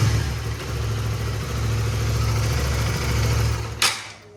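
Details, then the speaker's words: Motorcycle with K56 engine running on Moto Power oil: single-cylinder idles smoothly with steady low thrum, no rough or friction noise, then shuts off; normal idle. "Dia bunyinya langsamnya bagus. Itu yang pertama bunyinya ya normal lah. Enggak ada bunyi kasar, enggak ada bunyi apa."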